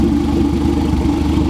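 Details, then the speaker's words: Turbo B18 EF Civic sedan on EMU Black tune, warm after a 20- to 30-minute test drive, left idling to check for leaks: smooth, even idle, steady low hum, no knocks, ticks or leak hiss; no leaks found. "I left it idling right now, just so I can just make sure there's no leaks or anything like that, and everything is good, guys."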